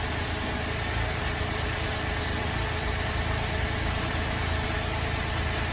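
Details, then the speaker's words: Holden VZ Adventra Alloytec V6 running very rough: lumpy, stumbling idle with uneven shake; coils unplugged one by one isolate failed number 5 coil pack; cylinder misfire. "Alright, so it appears that our number 5 coil pack has said bye-bye and it's time to replace it."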